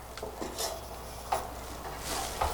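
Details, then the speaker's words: 1974 Coleman two-burner suitcase stove, not run in a very long time, generator burner being lit: irregular soft spits and crackles over a faint hiss, meaning fuel is reaching the generator; normal startup. "you're gonna wait till you hear it start spitting. That means fuel's coming in."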